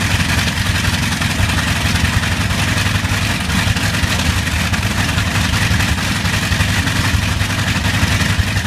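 Big radial engine rumbles steadily with a slightly uneven, stumbling beat under the roar, consistent with a slight misfire.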